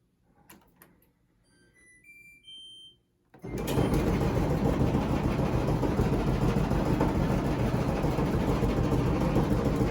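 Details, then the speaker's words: Kenmore/LG gas dryer running: steady thumping/clunking about three times a second, caused by a drum guide wheel worn with a flat spot. "the dryer is making a clunking sound when it's running"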